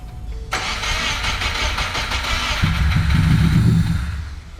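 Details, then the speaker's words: Subaru Impreza GC with a swapped JDM EJ205, first start after sitting, oil primed: steady starter cranking at about three beats a second. It nearly catches but won't run, apparently just needing fuel. "first right do it again very good just needs fuel"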